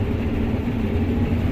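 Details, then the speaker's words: Combine header at wheat harvest start after prep, reel slowed down: a steady, even low rumble with no knocks or grinding; the cutter bar sounds and runs normally. "Cutter bar seems okay. Sounds okay."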